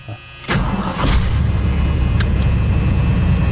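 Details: 1979 Ford F150 351M V8 in neutral fires up quickly and settles into a steady, even, deep idle after a miss was fixed by straightening the plug wires in the firing order; now running on all 8.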